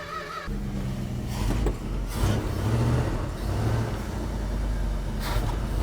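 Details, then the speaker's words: 1973 Dodge D100 after fuel pump replacement, run from a gas can, unrun about 6 months: engine catches and runs but hunts and won't idle; choke not on, probably one reason. "we have a running truck oh didn't want to idle"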